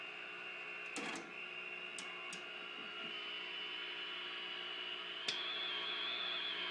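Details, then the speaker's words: RCA 621TS TV sound circuit fed a 1 kHz test tone: faint hiss with wavering whistles and chirps instead of a tone. Audio, earlier intermittent, is now weak and oscillating despite voltages in spec; owner suspects the set is microphonic. "But we're just getting a lot of whistles and chirps. You can barely hear the difference."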